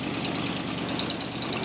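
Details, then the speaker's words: Jaguar fitted with a Chevy 350 small block, first start after sitting 12 years. Short even idle with a steady rumble and some hissing, no knocking or misses. Water is squirting from a hole in the cooling system; otherwise the engine runs fine. "so we are ready to start the jag after 12 years sitting here we go [Laughter] holy crap all right i didn't expect it to work that well"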